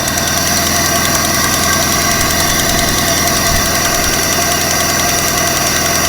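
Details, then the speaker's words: 1995 Vauxhall Cavalier MK3 X20XEV, idle right after auxiliary belt and tensioner replacement; steady light ticking about three clicks a second persists; belt-driven pulleys checked fine, owner suspects timing belt pulley or tensioner, cause unconfirmed. "foreign still got that sound there that clicking sound maybe it's to do with the um the timing belt pulley attention or something like that"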